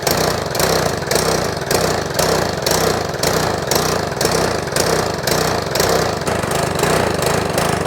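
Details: Troy-Bilt lawn mower engine after valve clearance adjustment, old spark plug was black and oily: lumpy, surging beat about two pulses a second instead of a steady note; uneven running, cause suspected, not confirmed.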